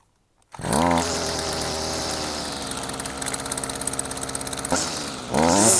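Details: Stihl FS55 two-stroke line trimmer after replacing the flex shaft liner and greasing the shaft to cure excessive vibration on acceleration: catches quickly, steady high buzz with light rev pulses, smooth and even.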